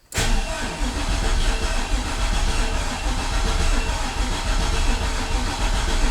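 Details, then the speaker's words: Freshly built turbo 6.0 LQ9 LS in a Silverado street truck, first crank after flashing a new Holley tune: starter turns the engine sluggishly with slow, uneven thumps while oil pressure slowly climbs; slow cranking from a weak battery. "Probably gonna need a new battery. All right, battery's a little weak."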